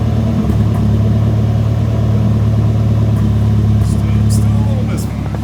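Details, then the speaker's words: Nissan 240SX S13 after a new cylinder 4 injector, plugs, wires, cap, rotor, and fuel filter, and an ECU fix: steady idle with a slightly lumpy beat and occasional stumble; cylinder 4 now fires, but a slight misfire remains, and it is very smoky. "The cylinder 4 is firing now. You can hear it. There is a slight misfire somewhere."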